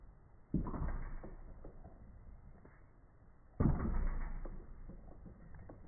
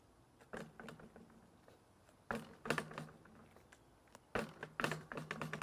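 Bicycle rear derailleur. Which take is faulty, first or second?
second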